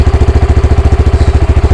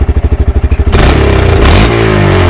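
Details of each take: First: Honda Grom with erratic idle and engine light, throttle position reading about 9.4 and revs about 1800: fast, surging idle set too high, idle screw being turned down toward about 1600 rpm. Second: Honda Grom single after the throttle position sensor fault was fixed: even, very stable idle pulse, a quick rev that rises and settles cleanly, then back to smooth idle.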